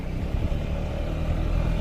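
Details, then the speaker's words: Yamaha Xmax scooter road-tested after repair of an engine noise: steady low engine drone under road and wind noise, no knocks or rattles standing out; the noise is gone and it runs clean. "Graças a Deus. Tudo deu certo. Ó, zero barulho."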